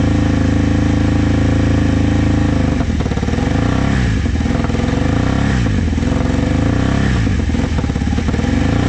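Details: Vintage motorcycle from a trailer batch, started with starting fluid. It runs only on throttle blips, with revs surging and sagging every second or so, and won't idle. Owner says the carbs need cleaning.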